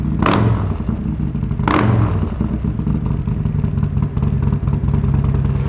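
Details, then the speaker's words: 2020 Harley-Davidson Road Glide Special, Milwaukee 8 with S&S 475C cam, D&D Billet Cat 2-into-1 exhaust, restarted after install: two sharp throttle blips then lumpy but even V-twin idle, no knocking or clatter; normal idle. "we're gonna go ahead and start it up one more time for you guys. But yeah, what a difference this cam made."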